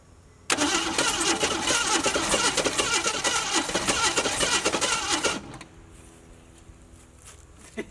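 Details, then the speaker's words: Ford Maverick sat 26 years, carb fuel bowl filled via electric pump, choke closed: fires at once, runs rough and ragged about five seconds then dies; owner wonders if float is stuck. "It's angry. Yeah, close the choke. That'll do it. I wonder if the float's stuck or something. It wants to so bad."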